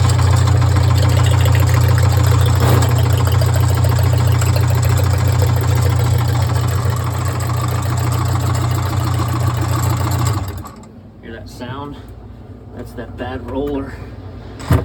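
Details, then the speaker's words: Stoelting soft serve machine after pump motor replacement, wired for 240 V with direction wires corrected: heavy steady motor hum with a regular thump about three times a second until pump shuts off on pressure; worn pump roller, needs swapping. "I think that's going to play a longterm problem here this pump still may not work right so we get that roller swapped out one quick right"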